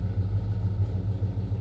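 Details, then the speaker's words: Pontiac 455 V8 in a 1967 GTO, freshly installed, at idle before the car has been driven; deep loping idle with steady low pulses about six per second and the whole car vibrating, no knocks or rattles; normal idle. "I haven't even driven the car, and just sitting here feeling the idle, the whole car vibrating, and like that."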